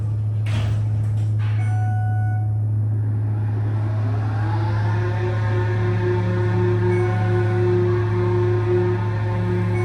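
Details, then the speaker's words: Schindler traction elevator installed in 2000, awaiting modernization: during travel the right car's hoist motor gives a loud steady hum with a rising, obnoxious whooshing or revving tone, cause unknown: loud motor whoosh during travel. "Listen to this motor, it sounds horribly obnoxious."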